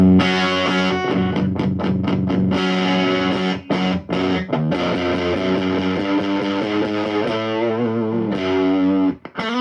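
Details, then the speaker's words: 1963 Fender Princeton tube guitar amp, deliberately overdriven to show blocking distortion: notes turn fuzzy, spitty, bloated and farty and choke off as they sustain; the phase inverter cannot cope. "Fuzz-like, spitty, bloated, farty, all the adjectives would apply there. The phase inverter cannot cope."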